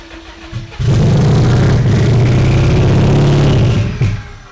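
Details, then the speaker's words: Low-mileage 600 hp drag-racing Subaru WRX that sat about 15 years, after repeated ether attempts; steady low starter churning about three seconds, never fires, cranks but won't start. "I don't think we're going to get her to start."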